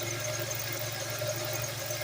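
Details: Engine idling with steady high pulsing squeal from a glazed serpentine belt; crayon test on the belt's sides and top did nothing, while the bottom changed the noise, indicating the belt needs replacing.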